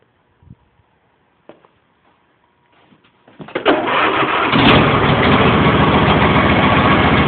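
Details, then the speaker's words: John Deere mower (T12/L111), last started in December, on 50 A charger support, full choke, no throttle: a few clicks and brief cranking, then it catches promptly and settles into a steady, even run; healthy cold start. "all right full choke no throttle wait till this Sheely gets charged up then it she crank and th right up"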